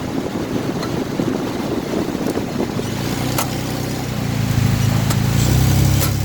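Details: Crankcase knocking: uneven knock about four beats per second under engine rumble, heavier as revs build, along with a tangible push while driving.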